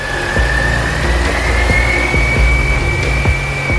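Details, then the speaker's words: 2004 Mini Cooper S R53 with a years-long surging, erratic idle, back running after five years in storage: idle is even with a light steady whine that climbs slightly, then levels off and idles perfectly. Visible smoke is residual engine degreaser. "but then started to level off. Now, I'm going to go ahead and speed up the video here, but through this entire thing, it idled perfectly."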